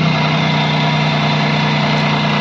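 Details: Renault Kwid RXT with a crank-but-no-start problem, running while its relay is grounded during diagnosis: steady, even idle with a smooth low hum and no knocks, misses or surging; the engine is running normally.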